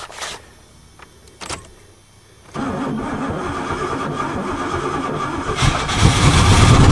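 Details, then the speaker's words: Old rusty Oldsmobile 88 sitting three years, fuel poured into the carburetor bowl: brief crank fires quickly and catches, climbing into a steady, even run with smoke; it starts and keeps running on its own. "way no way it's smoking it's running all by itself it was sweet"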